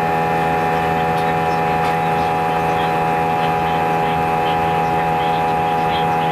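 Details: Airbus A320 cabin during takeoff: a loud, steady roar with strong fixed low-mid and high tones, far louder than normal. Vibration was felt through the seats and lasted the whole 5-hour flight. Cause unclear.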